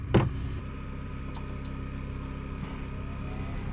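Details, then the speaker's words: Nakatomi MAC-20 2.2 kW portable air conditioner in a Vantech ATOM camper, run from a 900 W inverter generator: low steady hum, no buzzing or warbling; quiet and normal, unlike the odd noise on the 1000 W square-wave inverter. "こっちは静かだわーうーんって言わないねさっき経過に矩形波インバーターのときはちょっと変な音してたのでこっちは大丈夫ですね"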